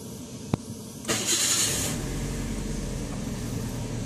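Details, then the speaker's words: Perodua Myvi 1.3 cold morning start: crank and catch into steady, even idle without stumble; normal RPM when cold, though owner reports RPM drops to about 500 once warm, causing shaking and stalling with aircon on. "Oke, ini adalah RPM yang normal lah bagi R2 Myvi ataupun kereta-kereta yang sewaktu dengannya."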